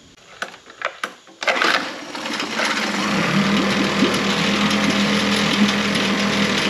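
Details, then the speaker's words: Mercury 9.9 four-stroke outboard after a full service (carb kit, water pump, NGK plugs, fuel filter, 10W-30 oil): started on the first pull and settles into a steady, even idle hum, pumping water well with no misses. Healthy. "so they had to start on the first pool and pumping water perfectly"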